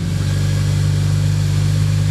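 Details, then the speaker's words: Honda Civic Si EP3 with JDM K24A2 swap, 3-inch exhaust, after sealing manifold vacuum leak: strong steady high-rev drone, smooth and even, no hiss or popping; normal revving. "That sounds pretty cool."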